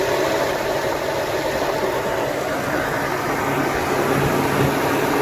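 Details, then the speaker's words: Toyota 4Runner 5VZ-FE V6 idling with the alternator belt removed and the power steering belt on. Smooth, even idle with no whirring or bearing noise, confirming the noise comes from the alternator, not the bracket bearing. "so as you guys heard everything else sounds good and perfect healthy"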